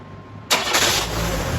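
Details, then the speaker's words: 1997 Chevrolet S10 2.2L four-cylinder after new downpipe with flex section and gaskets replaced a leaking exhaust; starts and settles to steady, even idle with no ticking or puffing, quieter: normal running exhaust, leak fixed. "it definitely did fix whatever exhaust leak was up here I don't know if it was caused by just a a gasket or if that Flex section was leaking um but it's definitely quieter"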